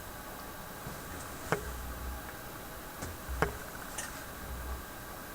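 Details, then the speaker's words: General Electric KL-70 AM/SW tube radio under troubleshooting: a few sharp clicks about every two seconds over soft hiss from the speaker, ticking caused by the unplugged push-button assembly, assumed harmless. "no it's coming out of the speaker oh that's because i've got that uh piece unplugged last time i had the push button piece unplugged the radio did this clicking thing"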